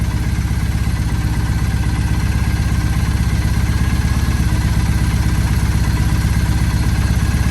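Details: 2007 Triumph Bonneville T100 twin after carb synchronisation with the SynX tool: even, steady twin-cylinder putter at idle with a clean rhythm and no stumbling; the carbs are balanced and it runs healthy.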